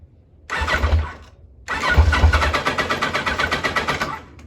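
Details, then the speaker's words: 1986 Kawasaki Concours ZG1000 four-cylinder, choke on, starting spray used, nearly a quart low on oil: two cranking bursts with ragged catches that die away; runs only on spray, fuel starvation from clogged carburettors. "pretty good we're all clogged up in there I would imagine"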